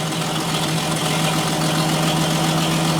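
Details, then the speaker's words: 1947 Chevrolet Fleetline inline six, first run after sitting in the woods, little coolant in it, not yet warmed up: low, even, steady idle with no knocks or misses; smooth normal idle. "Dude, that runs good! Woo! That is smooth, boy."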